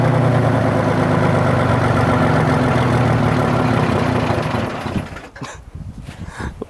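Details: Detroit Diesel 6-71: loud, heavy idle knocking at about four beats a second, then it sags and stumbles unevenly as if about to stall; rough idle.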